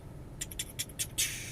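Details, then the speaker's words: Large-engine Suzuki cruiser (Boulevard/Volusia type) with automatic compression-lock servo, at ignition key-on before pressing start: a few quick high chirps, then a short steady whir as the servo cycles; normal operation, not a fault. "now the servo uh is a little mechanism that turns right when you go to ignite it so you turn on your ignition before you hit your start button you'll hear"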